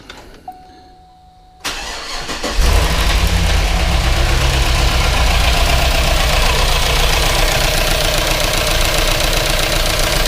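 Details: Reassembled Denali/Yukon 6.2L LS with DOD, lifters just replaced, driver-side valve cover off: cranks, fires and idles with a quick steady top-end tick, about four a second. Lifter chatter, possibly not yet filled with oil.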